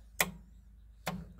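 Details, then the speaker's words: Club Car golf cart speed solenoids after a scored solenoid was replaced: two crisp, identical clicks about a second apart as the accelerator pedal engages the micro switches. All five solenoids kick in consistently, which is healthy. "as you push the pedal down you hear all five solenoids kick in"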